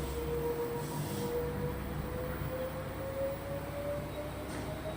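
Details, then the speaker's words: LG front-load washing machine after the LE-error drum fault was fixed, running at full speed: smooth rising motor tone as the drum climbs to speed, no knocking, grinding or rubbing; normal spin. "तो अब हम machine को चालू करेंगे। यह बहुत ही सुचारू रूप से घूम रहा है। इसमें कोई शोर नहीं है।"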